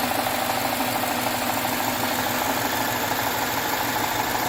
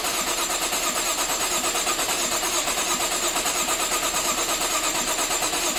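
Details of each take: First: 2013 Jaguar XF 3.0L AJ126 supercharged direct-injection V6 after engine rebuild with timing chain kit, no fuel leaks seen: steady, even idle with light quick ticking, no misses or knocks; sounds good, normal idle. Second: 2013 Jaguar XF 3.0L AJ126 supercharged V6, first start after rebuild, long off with oil drained, assembly lube used: long crank, then busy clattery valvetrain rattle until oil pressure builds; startup rattle before oil pressure builds.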